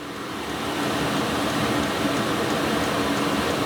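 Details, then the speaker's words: Diesel heater at full running power (full purge) with a small silencer fitted, meter reading 63–65 dB; steady even roar, faint rapid fuel-pump pulse and low hum, normal running before swapping to a large generator silencer. "so i'm currently reading or showing a sound pressure level between 63 and 65 decibels"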